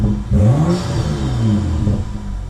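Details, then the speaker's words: BMW F30 335i N55, stage 2 on 91 octane, warming up, revved in neutral after installing a BMS Elite cone intake: clean rev climb and fall with an airy intake whoosh on spool, more aggressive; healthy. "now that sounds so much more aggressive just with the like the air like i don't know how to explain it the the blow-off i guess you could see the air blow off but it's not really air blow off because it's the intake noise"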